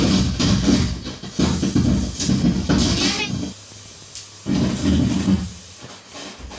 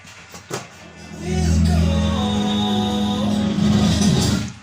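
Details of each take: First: Class A amplifier with output transformers, tested on series board while raising volume: rough crackly scratchy distorted bursts from the speaker; the volume, bass and treble controls suspected. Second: Class A amplifier with output transformers after repair of strange noise, playing music via Bluetooth; clean steady music with solid bass, no crackle or scratching. Amplifier sounds healthy after repair.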